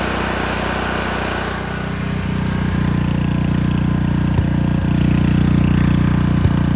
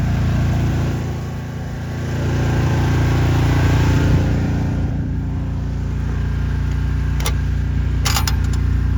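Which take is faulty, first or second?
first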